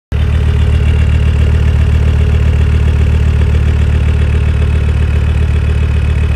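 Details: Land Rover Discovery 2 Td5 diesel idling below operating temperature: uneven, lumpy beat, two or three stumbles a second, easing to normal idle, shorter as it warms; owner suspects ECU-controlled fuel cut or cold protection.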